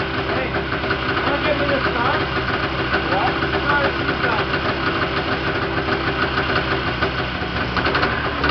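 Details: Yamaha Enticer 340 two-stroke, first start after rebuild (new Wiseco pistons and bearings, Hot Rods rods, custom forged balanced crank, Uni filter): steady, busy idle with even buzzing beat, no knocking or rattle; runs smoothly and healthy, very smoky.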